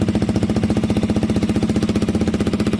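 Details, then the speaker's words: KTM 125 motorcycle fitted with a Black Widow aftermarket exhaust, idling: quick even popping beat with a sharp puffy chuff each pulse, exhaust blowing at a joint not yet clamped or fully tightened, rubber still needed. "So we need the clamp on there, but obviously we need to get the rubber, and definitely a bit of blow there, I can hear it."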